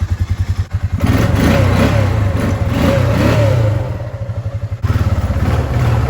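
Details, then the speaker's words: Honda Rubicon 500 4x4 ATV that sat forgotten for years, after a new fuel line and cleaned air filter. Even single-cylinder thump, crisp pickup and clean return to idle with no hesitation; it runs normally. "all right so at this point it seems really no hesitation at all at this point but runs good"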